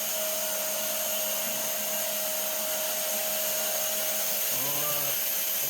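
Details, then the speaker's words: Haas CNC mill through-spindle coolant (TSC) test after replacing the drawbar: smooth steady high hiss with thin constant tone, no growl or rumble; it used to growl loudly whenever used, now works fine. Spindle orientation not yet done. "sounds good to me. It's working. Sweet."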